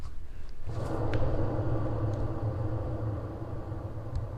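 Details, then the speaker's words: Hand-spun trailer wheel giving low coarse rumble from a dry, under-greased bearing with no play. "sounds quite quite dry there's no play all right this one here is an example of what you don't want to hear"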